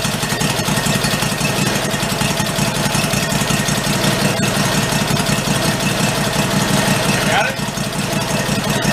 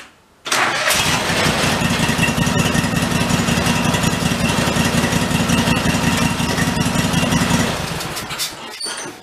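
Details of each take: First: 1991 Craftsman GT garden tractor, single-cylinder, revived after fuel was added and the carburettor primed: steady, even putter at idle with no misses or knocks; runs healthy. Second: 1991 Craftsman GT garden tractor, jacked up with one wheel off the ground, in gear: engine catches straight away, runs steadily about seven seconds then dies; seat safety switch cutting engine, may need bypassing.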